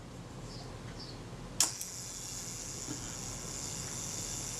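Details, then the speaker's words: Zeiss Ikon Contaflex II 35mm SLR during shutter service: single click, then an even high whirr as the self-timer runs down smoothly without stumbling. "i'm listening to it running down making sure it sounds smooth yeah that was pretty good"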